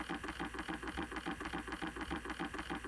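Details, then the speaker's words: Fast, steady clicking about three to four times a second behind the dash of an 05-09 Ford Mustang at Max AC: blend door actuator hunting, trying to calibrate itself. "but before you convince yourself it's bustic understand that it's searching okay it's trying to calibrate itself inside this actuator"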